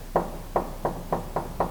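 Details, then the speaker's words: Modified E36 BMW race car, front corner, wheel rocked by hand: six sharp hollow knocks in under two seconds; play in the top spherical strut mount bearing, while the wheel bearing feels okay. "yeah it's this top spherical Mount if you look with a very keen eye it's this bearing at the top here normally that's okay if there's a little bit of play on this top bearing it's not the biggest deal"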